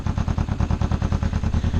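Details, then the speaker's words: Kawasaki EX250 Ninja motorcycle on first start after carburetor cleaning, running on choke: choppy, uneven sputtering thump as the dry float bowls fill; carbs flutter from fuel starvation, dry parts and float needles possibly sticking or flooding briefly. "it's typical that they will flutter until they get a good level fuel supply you got a little bit dry float needles might be flooding for a second"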